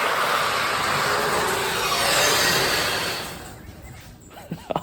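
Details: Genie chain-drive garage door opener after its loose chain, knocked off the sprocket, was refitted: loud, rough rattling roar the whole time the door travels, stopping as it stops; the dry chain needs oiling.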